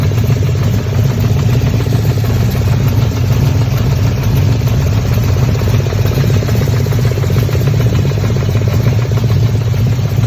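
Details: Camaro 1LE V8 idling at operating temperature: fast, light puffing tick over the burble that stays steady with engine speed; owner suspects an exhaust leak, not confirmed.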